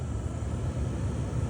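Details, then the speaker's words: Honda Element blower motor at mid speed after replacing the blower resistor/transistor, previously whistling: steady, low airflow rumble, no whistle or whine. "4 5 all no sounds at all"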